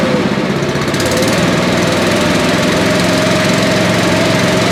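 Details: Billy Goat leaf blower, Briggs & Stratton 9.5 hp single found headed to scrap, sooty plug, low compression, slightly choked: loud steady running with quick even beat and faint whistle, holding speed, running well.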